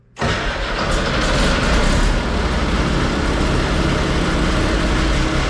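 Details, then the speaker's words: Komatsu D85E bulldozer diesel after rebuilding all injectors (faulty #5) and valve set: starts at once, loud deep run with uneven, lumpy beat; now fires on all six cylinders but rough, owner suspects slightly retarded timing. "I'm not totally impressed with the way it runs, but that being said, at least it runs on six cylinders now. It sounds like maybe the timing is a little bit retarded."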